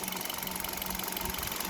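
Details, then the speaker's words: Kia Rio, cold idle, engine noisier from clearances: steady rapid hollow knock identified as piston slap, most audible around 2000–2500 rpm and gone above; unchanged over four years. "Спустя время выяснилось это перекладка поршней время движения и в основном это происходит от но тысячи наверно 2 порядка двух с половиной тысяч самый Вот они более слышим"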